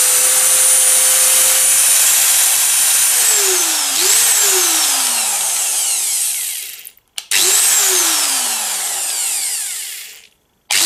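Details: Cheap angle grinder, earlier vibrating badly, after its bearings were replaced: a steady high whine with no grinding or rattle, falling away smoothly each time it coasts to a stop. Bearings sound healthy.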